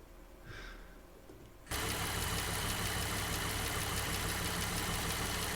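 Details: Jeep JK Wrangler Unlimited Rubicon Pentastar V6 at 228,000 miles idles with a light quick tick about four per second, lifter/rocker wear tick, during a Liqui Moly hydraulic lifter additive test.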